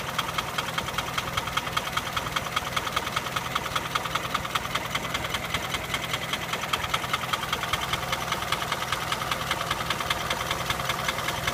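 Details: Nissan Sunny engine at idle with a sharp, regular metallic knock about two and a half times a second, steady throughout; owner seeking help identifying the knock, source unknown.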